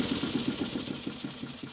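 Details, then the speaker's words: Stuart model beam steam engine on a high-speed test run after repairs and corrected valve timing, steam chest gaskets still to be made: quick, even puffing about six beats a second, easing off, quiet with no clatter or knocks; normal running. "how quiet is it well I just speak next to the camera I think you'll hear that it's running fairly quietly"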